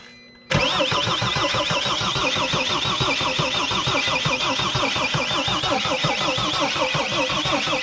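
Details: Mercedes Sprinter no-start after a new fuel tank and fuel pump, with the pump's electrical connector just reconnected: steady, fast cranking with even compression beats; it nearly catches but won't run, and bubbles are seen at a fuel injector.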